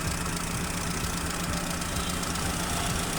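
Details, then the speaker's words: Chevrolet Aveo at idle with a misfire, injectors disabled one by one with a scanner: an uneven stumble and knocking beat. Disabling cylinder 1 changes nothing, so cylinder 1 is dead. "entonces quiere decir que el inyector número uno como no tenemos cambio es el que cilindro"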